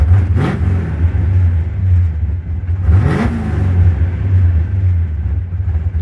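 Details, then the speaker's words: Project car after the throttle return bracket was moved and the return spring changed. Two clean throttle blips; revs rise and fall back to idle quickly each time with no sticking or hang-up. The throttle is now returning properly. "Changed everything around, and now the throttle feels a lot better. The throttle is smooth and light again, and it's not sticking."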